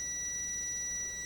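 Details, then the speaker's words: Gorf ROM/RAM board: a steady continuity beep between pins 1 and 23 of the ROM sockets, which should not connect. A short. "Pin 1 is supposed to be connected, but 23 is not supposed to be connected to 1."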